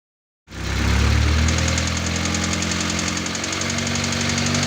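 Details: Newly rebuilt Audi A4 B5 1.8T turbo engine (GT2860RS) briefly revved after its first 20-minute run-in. It fires and revs up cleanly, then settles to an even run with no clatter, clunking or knocking; it sounds healthy.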